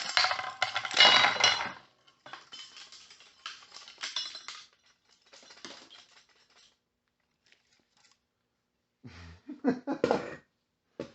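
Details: Power-adder truck's cheap torque converter without anti-balloon plate, turned by hand: loose, irregular clinking and rattling like marbles inside; internals destroyed, previously causing slippage.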